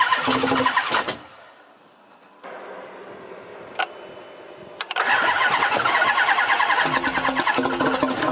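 Repeated bursts of the starter turning the engine over about three times a second, but it never catches; cranks without starting.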